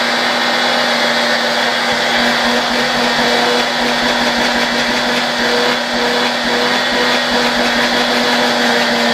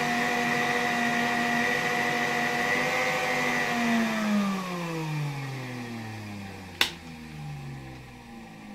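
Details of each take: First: Vacuum cleaner motor run through a 1992 Ukrainian RS-6-220 triac voltage/power regulator: steady whine with constant pitch and airy rush, no grinding or rattles; running normally. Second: 1959 WZ-factory vacuum cleaner, motor about 130 W, on a 1992 Ukrainian RS-6-220 triac regulator: steady whine, pitch sliding down as voltage is reduced, sharp clicks near end; owner noted the motor briefly speeding up despite lowering voltage, suspecting a voltage spike.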